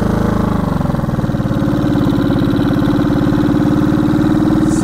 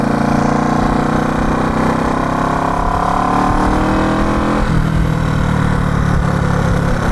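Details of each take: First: 1970 Honda CB350 twin after sitting a year, riding: uneven pulses, revs climb slowly under throttle, boggy instead of pulling from first; owner suspects old gas or low battery. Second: 1970 Honda CB350 twin, revived after sitting, ridden on the road: even twin drone climbs smoothly in pitch, dips briefly at a gear change, then pulls clean with no stumble or bog; running healthy.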